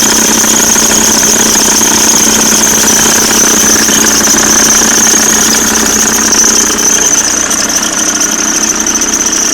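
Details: Audi C4 with AEL engine: steady high-pitched squealing whine over a ragged, rattly running sound; it gets louder with throttle; timing belt and water pump already replaced, but mechanics could not fix it.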